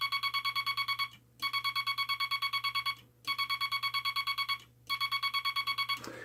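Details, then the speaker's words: Bug with the dot stabilizer back on and the dot contact readjusted: steady high tone keyed into rapid, even dots, roughly ten a second, in clean bursts with no chatter; keying cleanly. "Okay, that's with the dot stabilizer on."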